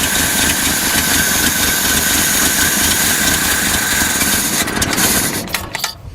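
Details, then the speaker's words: 1972 Datsun 240Z with uncleaned carbs after long storage: runs rough and uneven, then sags and dies, will not hold idle; accelerator pumps work, low fuel or clogged jets suspected. "Yeah, I don't want to idle. Course we might not have enough fuel in it either."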